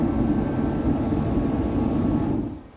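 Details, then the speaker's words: Larger HeatStar forced-air heater with a bigger fan, louder than the small unit but a very low tone: a steady, even low roar with no squeal or rattle, then it winds down and goes quiet; fan and burner healthy. "Obviously, larger unit, more heat, bigger fan, bigger unit. It's going to be noisier, but still, you can work around it. It's a very low tone. It's not high pitched or squealing or anything like that."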